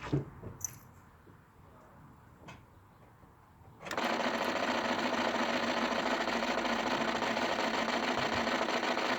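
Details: Honda Civic Type R EP3: after a quiet start, a rapid steady ticking chatter like a sewing machine comes from the battery fuse box area.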